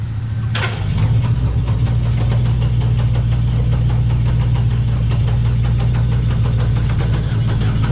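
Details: 2000 Chevrolet Cavalier donor car for 1972 VW Super Beetle project, on retry: sharp crank burst, engine catches and settles into steady slightly uneven run; slow to start, cause unclear.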